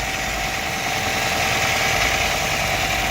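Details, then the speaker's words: 2005 Nissan Altima that would not start, revived by cleaning the intake sensor, fitting a fresh filter, sweeping sand from the intake manifold and adding 10W-40 oil plus engine repair grease; hood open, alternator running, belts look okay: steady idle, smooth hum with faint belt whirr, no squeal, knock or stumble. "We got a little bit of mess over here, but it works like a charm. Alternators running."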